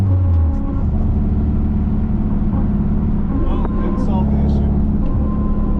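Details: Car with limited-slip differential, warmed up, test drive: steady whine over road rumble while coasting in gear, not resolved; owner unsure, suspects driveshaft; gear whine on deceleration, cause unconfirmed.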